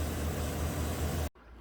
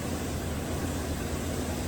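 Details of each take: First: 2017 Chevy Silverado 2500 HD 6.0 V8 (P0300/P0302) after fitting used spark plug in cylinder 2 and cleaning carbon-tracked boot: deep even idle rumble, no skips; no longer misfiring, normal idle. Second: 2017 GM 2500 HD truck, 6.0L V8 with port fuel injection, idling just after startup, running rough with MIL flashing and codes P0300/P0302. It has an active cylinder 2 misfire, with a low rumble that stumbles now and then. The cylinder 2 spark plug was found missing its ground electrode.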